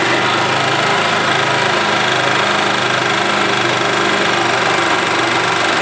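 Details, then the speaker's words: 1991 Yamaha G8 gas golf cart engine after carburetor cleaned of junk and worn-out fuel pump replaced; steady, even idle with constant hum and no misses, knocks or surging: running smoothly and healthy. "I think that is a result that is working as it should all right guys well there you go carburetor had junk in it and the fuel pump was shot"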